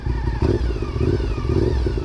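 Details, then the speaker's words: Modified 2006 Honda RC51 SP2 V-twin with Power Commander and Saito Racing exhaust: lumpy idle with throttle blips and a faint steady whine from the gear-driven cams, normal for this design. "And you can hear those gear-driven cams. You can hear them right in there. Hear that little whine?"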